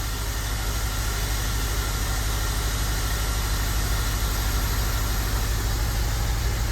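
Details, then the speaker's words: Honda Element running down a cylinder (P0301 misfire code), after a rocker tightness adjustment, before coil pack swap: loud low idle with rhythmic lope, about three stumbles a second; one cylinder dead, misfiring. "right there. It's down a cylinder still."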